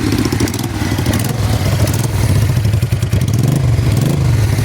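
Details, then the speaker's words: 1988 Honda Bros 400 V-twin, over 35 years old, in for rewiring: loud steady exhaust beat with open-pipe crackle, no knock or grind; still running fine. "ito ay 1988 pa so mahigit 35 years na siyang buhay Pero running pa rin."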